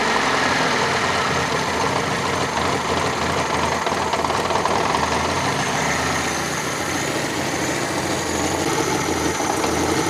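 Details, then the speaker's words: Fiat Panda 4x4 Sisley, FIRE engine, first start after water pump replacement, cold on manual choke: steady, slightly busy idle beat, no knocks, squeals or misses; normal cold idle. "so let's see if it works okay huh yeah seems to run okay let's get a bit more [Music] choke"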